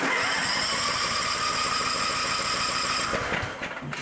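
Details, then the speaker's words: Cub Cadet-engined riding mower with electronic throttle, came in running like the choke was on. The single cylinder thumps at a lumpy beat, then stumbles and dies and won't restart, running rich with a strong fuel smell. "Well, that's weird. It was running, but it was running like the choke was on."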